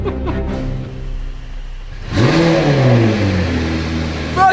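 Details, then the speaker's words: Crash-damaged McLaren 720S during rebuild, first start with brake hose clamped and temporary Tiger Seal fix holding oil: catches at once, clean rising rev, then even run; sounded good first time, then the Tiger Seal leaked out. "it sounds mint it sounds Wicked it sounds well good"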